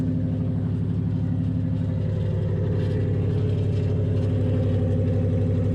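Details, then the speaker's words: 2005 Nissan Titan, rebuilt Walbro fuel pump, new starter, muffler removed: loud deep steady exhaust drone with even beat at idle, no misses; runs smoothly, just open-piped. "this truck does have a new starter as well so it does start pretty easy i did just cut my muffler off or take it off actually"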